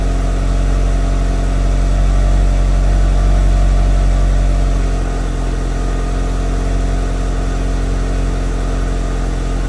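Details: Mitsubishi Evo, first start after FP Red turbo install with MAP manifold and FP oil lines; built motor about 15,000 miles, 91,000-mile chassis: steady smooth low idle rumble, no knocks or misses; healthy idle.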